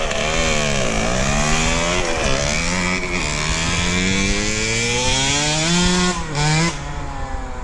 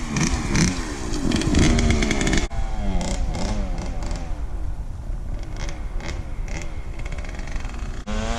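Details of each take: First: KTM 65 two-stroke motocross bike, after fix for shutting down at mid to high throttle: clogged power valve hose to expansion chamber replaced, plugged pilot jet and carb cleaned; crisp revs climb and fall smoothly, no bog, sounds a lot better. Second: KTM 65 two-stroke motocross bike shutting down at mid to high throttle; revs up then stumbles and flattens instead of climbing, feels like fueling issue on top, running the bowl dry; bogging traced to dirty carb and jets needing cleaning, power valve hose also clogged.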